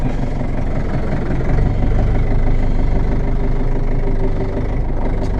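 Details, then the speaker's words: Ford 6610 tractor diesel after cold start with cold start button, glass bowl fuel filter cleaned and reassembled, during oil and filter change: steady, even low chug with no misses or knocks; normal diesel idle. "When I took these to bits, I took that one off, cleaned all the shit out, and put them all back together again, and it works fine, as you can hear."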